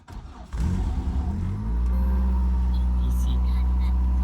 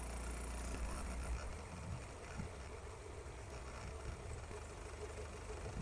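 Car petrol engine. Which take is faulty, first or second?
first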